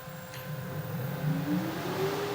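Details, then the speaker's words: Harrison universal milling machine after rewiring of inverters and controls: the spindle motor starts with no belts fitted and spins up unloaded with a rising whir and faint electrical whine, then settles to an even hum. Normal motor run-up. "I can start the spindle from here now and I can control the speed. Hopefully you can hear that running."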